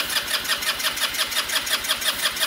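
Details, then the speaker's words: Small scooter engine cranking with boost current raised toward 200 amps: rapid, even starter chugging at about five strokes a second that never catches. Cranks but won't start; cause not confirmed. It later runs, with carburetor and fuel petcock work noted. "it just needs to crank she needs a little bit more power so let's just to 200 amps"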